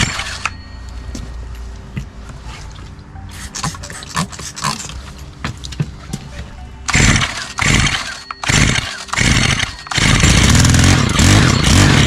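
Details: Stihl HT 131 4-MIX pole saw that won't start, cracked primer bulb, starts on choke then dies: carburetor spray test gives stuttering bursts then brief loud run on spray before dying; fuel not getting through carb or impulse line.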